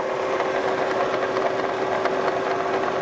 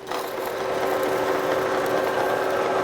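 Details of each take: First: Kearney & Trecker 2H mill, vertical head attachment in fast mode at 250 rpm, no end mill: steady whir with a thin constant fixed-pitch squeal; mild squeak, cause unconfirmed, owner greases the zerks in response. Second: Kearney & Trecker 2H horizontal mill, vertical head attachment on its first run, no end mill fitted: steady even whir with a light patter about four per second, no knocking or grinding; gear head runs sound.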